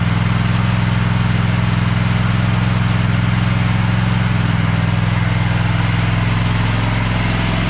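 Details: Craftsman push lawn mower started on choke after a split, loose part was replaced: a fast, even single-cylinder putter with no surging or dropouts, so the fix worked and it runs normally.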